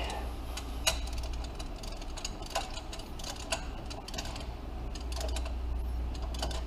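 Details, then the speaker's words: Ford Triton 2-valve engine, Cal-Van spark plug thread insert being torqued to 20 ft-lb: a few sharp isolated clicks over a low steady hum, one being the torque wrench breaking over at its set torque, so the insert held without stripping. "for that magic click. There it is. 20 foot-pounds."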